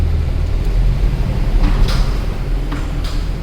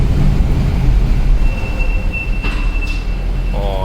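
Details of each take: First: Mercedes C63 AMG after washing winter grime from rotors, pads and calipers: low road rumble rolling to a complete stop with no squeal or ringing; brakes now quiet. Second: Mercedes C63 AMG rolling slowly to a stop: a thin, steady high-pitched brake squeal over a low rumble, said to worsen when brakes are cold or wet; washing the brakes is given as the fix.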